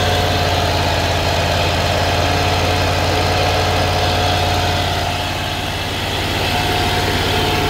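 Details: Great Dane Chariot zero-turn, Kohler CV730 (Command Pro 25) twin with a cutting-off complaint, idling during reassembly. It holds a steady, even idle with no stumbling or surging, running fine on its own fuel supply.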